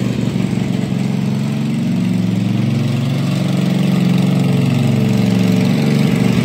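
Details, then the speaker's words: Kawasaki 18hp V-twin on a Husqvarna mud mower, revived after full pond submersion with water in gas and oil; float bowl drained, running on fresh gas with Sea Foam: chugs at a steady, even pace without stumbling or surging; normal running. "it is the revival of the kawasaki 18 horse b-twin so apparently this is a really good motor if it was completely submerged under water watering the gas um watering the oil a lot of water in the oil and it fired right up and ran"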